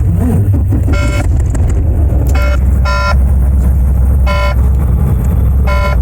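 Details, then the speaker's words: Manual-transmission semi truck just started during pre-trip check: bursts of short bright beeps every second or so over deep diesel idle; low brake air pressure warning. "So I just showed y'all the ABS lights. That beeping noise, I'm going to fix that in a second."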